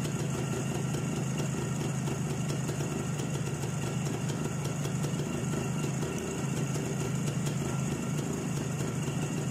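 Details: ČZ 175/450 two-stroke motorcycle, first real start after fitting a Vape 6V contactless ignition (SZ14): steady, even burble with a constant low beat, no misses or surging; healthy, settled idle.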